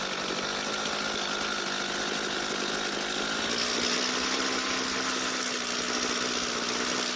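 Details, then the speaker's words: Jonsered two-stroke string trimmer restarted hot after a carburetor fuel adjustment, held at full throttle while the H screw is turned clockwise: steady high-revving buzz, pitch rising slightly, even with no stumble or surging; normal full-throttle running, H screw later returned. "uh so what ended up happening was i restarted the engine and then squeezed the trigger for full speed i then turned the h screw clockwise and the engine speed did increase"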